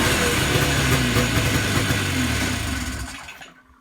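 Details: Yamaha Enticer 300 two-stroke snowmobile, unknown year, 120 psi per side, reportedly ran last winter, first start after storage once fuel pump drew fuel. Steady buzz for a few seconds, then winding down, with heavy smoke. First start after storage.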